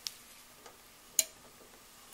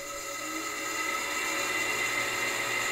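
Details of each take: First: Wall A/C unit thermostat, sensing bulb warming: a few sharp light clicks about a second apart in a quiet room; thermostat switch snapping over as bulb warms, working normally. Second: Wall AC unit fan running excessively noisy: loud steady whirring drone with several shrill tones, rising slightly then holding; owner suspects a rusted-out fan bearing, not confirmed.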